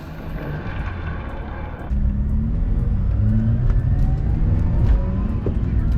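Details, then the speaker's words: Mazda RX-8, 13B-type rotary engine, warm, on a test drive: smooth buzzy rotary note revving cleanly under road noise, no knocks or misses; healthy engine. "course, you can hear that little rotary engine rev. Now let's hear this thing rev."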